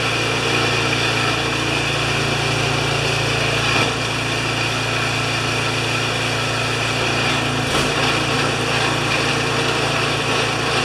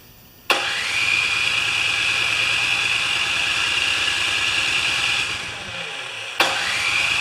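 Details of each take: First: Craftsman 24-inch 9HP snowblower that came in not running, now started after repair: steady, even small-engine buzz holding constant speed for ten seconds, no misses, knocks or hunting; running healthy. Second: Craftsman 24-inch 9HP snowblower after plug thread repair, primed and choked, gas on: starter cranks steadily about five seconds, stops, cranks again with no firing; two problems found.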